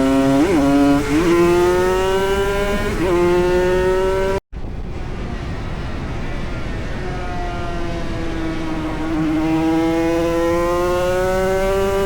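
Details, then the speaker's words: Classic race motorcycle at Snetterton CRMC round 3, rider first suspected gear-change issues: under hard riding the engine note suddenly flares up and drops back as drive is lost; worn gearbox jumping out of gear. "obviously the issues that I thought were with my gear changing turned out to be a worn gearbox, and you can hear the gearbox starting to play up and jump gears in this"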